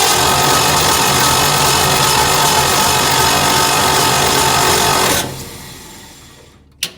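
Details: Hobart APU sitting 8+ years, after cleaning switch and ignition points to restore spark: even quick cranking about four beats a second, spins freely without firing, then winds down; normal cranking.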